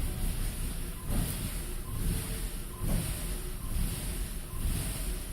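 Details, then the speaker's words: 2000 Saab 9-3 SE turbo after a loud underhood pop, with codes P1300 and P0301 (cylinder 1 misfire) and a jumping boost gauge. Idle swells and sags about once a second with a nasty smell: a boost leak from a popped-off intercooler exit hose. "The engine is surging. And nasty smell. It's not running right at all."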